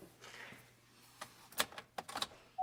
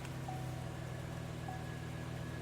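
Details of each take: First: Chevrolet Silverado that won't start, fuel pressure gauge on the Schrader valve reading zero: even cranking at about three beats a second for several seconds, and the engine never fires. No fuel pressure, traced to a failed fuel pump control module. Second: Chevrolet Silverado after replacing the failed fuel pump control module, which had caused a no-start: a steady, even low rumble with no misses, knocks or surging. The engine runs smoothly at a settled idle.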